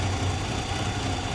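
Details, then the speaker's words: 2014 Nissan Altima, believed 2.5 L, with P0014/P0300, rough idle and occasional start-and-stall: uneven, lumpy idle with an unsteady low throb instead of a smooth hum. Scan data shows the exhaust cam stuck out of time. "Oh, look at, there you go. That's no good. We got an exhaust cam that's stuck."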